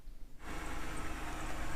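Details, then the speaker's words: 2007 BMW 328xi E90, N52 engine, cold start after the valvetrain ticking repair: the engine catches and settles into a steady idle with no top-end tapping. Normal, though a slight belt chirp appears afterward. "we are nice cold start sounds perfectly normal"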